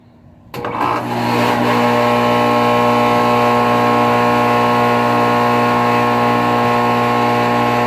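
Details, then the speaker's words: 2008 NuTone dual-zone central air conditioner starting up: settles into a loud, deep steady hum with a droning buzz, vibrating the ground; loud condenser vibration, cause not confirmed. "it's unbelievably loud that unit is unbelievably loud Wow it's also vibrating the whole entire ground I'm not even joking"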